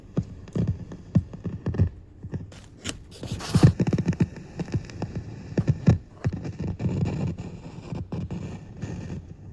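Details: Marantz PM7001 integrated amplifier: irregular crackles, scratchy pops and low thumps from one speaker instead of clean silence; the second speaker stays quiet and supply voltages were being checked.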